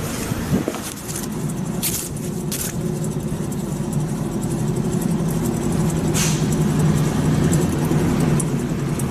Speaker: 今日はこちらのタントが皆さんにもわかりやすい走行中にゴーって4がするのでご紹介していきます